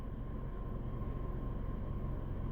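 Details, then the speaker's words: 2014 Chevy Sonic after starter and crankshaft position sensor replacement: low, even idle rumble with a steady beat and no stumbles or ticking; runs smoother than before, normal idle. "It's running a lot more smooth now, too."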